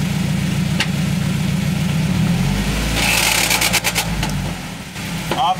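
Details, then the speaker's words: 1986 Toyota 4Runner with 3RZ swap and W56 transmission (W59 bellhousing) stuck in 4th gear: engine running with a rough, gritty rattle and scattered knocks like rocks in the gearbox; internal transmission damage suspected. "something's wrong with this thing's transmission and that's what we're fixing today"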